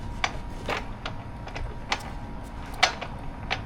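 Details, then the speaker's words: 2023 Harley-Davidson Road Glide with metal grinding from the left rear, gearbox turned by hand with the compensator ruled out: irregular sharp clicks, five or six in four seconds; broken transmission gear teeth. "So, you hear that broken transmission. And here, I thought it might have been the comp. Obviously was not the compensator."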